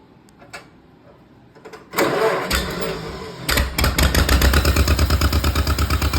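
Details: John Deere Model M first start after at least 15 years sitting in the woods, with fresh oil change and a rewired generator lead. It cranks, catches and settles into a steady, even two-cylinder thump of about three beats a second; healthy start and idle.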